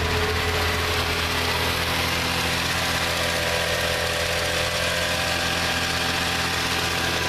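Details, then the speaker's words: 1987 Plymouth Gran Fury, carbureted, warmed up on fast idle while chasing suspected fuel starvation: smooth, even idle with steady low hum, no dips or hunting, never trying to stall. "you notice it'll run on the tote like that never seems to try to stall"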